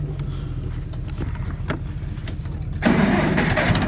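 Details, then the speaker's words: Cold farm engine: slow, labored cranking for nearly three seconds, then catches and picks up to a rough idle; cold hard start. "You know, we had the tractor plugged in and I only got to crank it a couple times and it wouldn't start. So now we got to jump it."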